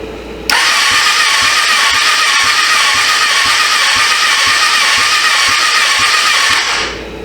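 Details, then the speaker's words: 1996 Suzuki GSF600 Bandit that sat 14 years, wiring fixed and carbs cleaned, compression gauge in cylinder 4: starter spins the engine fast and evenly with no compression chuffs, reading nothing. Owner suspects stuck rings from sitting; no compression. "compression gauge it's hooked in number four let's see what we got we ain't got nothing there that ain't good"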